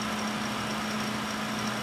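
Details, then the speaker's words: Home server case (Atom D525, three WD 1 TB Caviar Blacks, 80 GB SATA drive) with Antec three-speed fan switched from low to high: steady loud airy rush with constant low hum, no wobble or ticking; fan running normally on high. "I have an antec uh 3p fan in here I have it on low right now but if I put it on high it can get quite"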